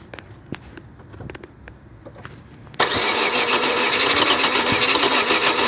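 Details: Opel (Vauxhall) Corsa: several seconds of scattered cranking clicks before the engine suddenly catches and roars into a steady run; hard starting.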